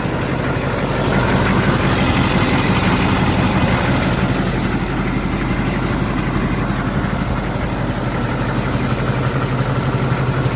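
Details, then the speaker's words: LBZ Duramax diesel truck idling just after installing an HSP turbo mouthpiece; no hissing heard. Steady, even idle clatter with no hiss, surging or knock: normal idle. "I don't hear anything. Just gonna let it idle a little bit. Sounds good though."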